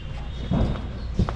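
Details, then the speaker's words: 2019 Hyundai Santa Fe, engine off, body rocked by hand: two dull thuds about half a second apart from the right rear; leaking worn rear shock absorber knocking, worse over bumps when driving, to be replaced. "So the rear shock, right rear, and I found that it's leaking there. Okay, so you can also duplicate the noise by rocking the whole car, or you can drive it."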